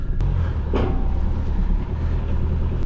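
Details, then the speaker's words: Broken-down limited-edition Scania V8 truck, one of 16, idling as recovery arrives: a deep, lumpy rumble surges and dips unevenly instead of holding steady, so it is running rough, cause unknown. "Oh, sounds a bit rough. Don't really want to leave it running."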